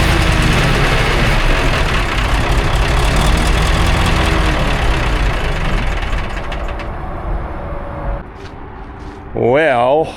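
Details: 1960s military crane diesel, 81 original hours, long sitting, after acting starved for fuel: deep, fairly steady idle rumble settling lower, no stumbling; normal idle, though a hydraulic leak remains.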